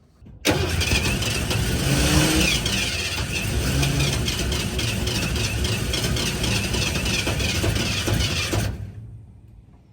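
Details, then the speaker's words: 1988 Ford F150 XLT Lariat 2WD with freshly run fuel lines: steady cranking for about eight seconds with a few half-catches that never take hold; cranks but won't start, cause unknown, new line dripping fuel at a missing fitting. "So damn close."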